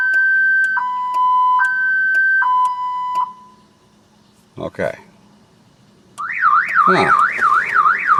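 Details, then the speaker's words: 2000 Chevrolet Impala that won't start, key on with security and battery warnings showing: two-tone alarm alternating about three times a second, a pause, then a fast warble; the alarm keeps retriggering and won't quit. "it won't quit going off."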